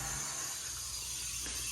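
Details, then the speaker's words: Car A/C recharge with R134a: after evacuation, a can charges the low side, and a steady high-pitched hiss, engine off, shows refrigerant rushing in freely, helped by vacuum and can pressure, until the hissing stops. "can hear how much of that is taking right away obviously there's pressure in the can too but the vacuum helps it uh suck it down"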